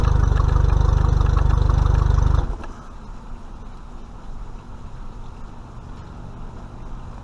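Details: Mercury 50 hp four-stroke outboard on a 2020 Bass Tracker Classic XL, tilted level on the transom, run briefly for first break-in service oil check: deep, even low thump at a steady pace with no misses or knocks, then drops away; clean, healthy idle.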